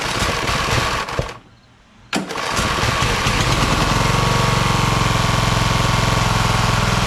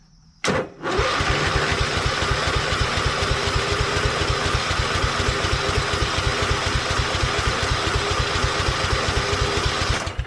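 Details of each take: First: Craftsman LT1000 hydro lawn tractor, second rebuilt engine, choke on, new EverStart U1-R 230CCA battery: cranks, pauses, then fires and settles into even chug about three or four beats a second; starts and runs fine, no-start was just the battery. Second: Hydro lawn tractor, sat about a year, on choke: strong, even starter cranking about four beats a second for nine seconds, never catching; battery fine but fuel shut-off was closed and tank turned out empty.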